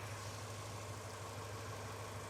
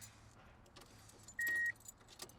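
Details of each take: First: Subaru Impreza GC8 WRX EJ22 after coolant crossover pipe repair, idling while coolant is topped off: steady, even idle with smooth low hum, no ticking or knocking; engine sounds healthy. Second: Subaru Impreza GC8 WRX EJ22, first start after coolant crossover pipe repair, fuel lines having been removed and system empty: two short starter bursts before it catches into a rough, pulsing idle; hesitant start from fuel-starved system.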